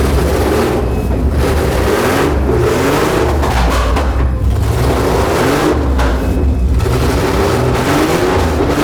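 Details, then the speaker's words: Aston Martin V12 swapped Fox Body Mustang, now running on all 12 cylinders after computer fixes; repeated blips rise and fall smoothly, picks up crisply and drops back to an even idle with no popping or stumbling, sounding way better; normal running. "Yeah, this thing is working, dude. Sounds different. That sounds way better."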